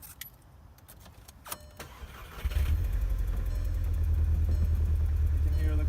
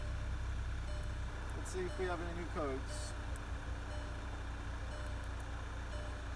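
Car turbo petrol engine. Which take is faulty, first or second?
first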